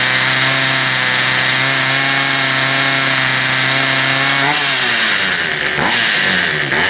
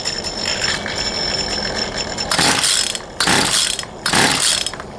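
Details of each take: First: Poulan Pro 222 38cc two-stroke chainsaw that wouldn't start, now running after the misrouted fuel line was fixed and a new air filter fitted, started off choke: steady buzzy pitch, clean revs up and down without stumbling; runs properly. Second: Poulan Pro 222 38cc chainsaw after rerouting the missing fuel return line: three sharp pull-start bursts, each catching briefly without settling into a run; still won't start, carburetor fuel delivery issue suspected.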